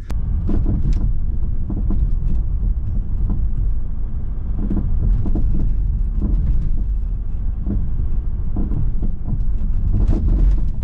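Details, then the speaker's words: Mercedes E350 on the road after one drop link was replaced: irregular dull knocks from the front over bumps above road rumble, possibly louder than before, seemingly front right; worn anti-roll bar drop link suspected. "yeah that's probably even louder now I've done that drop link so right let's get back it sounds like it's coming from the front right"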